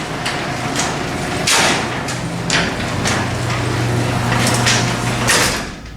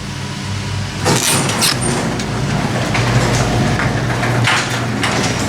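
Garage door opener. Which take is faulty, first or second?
first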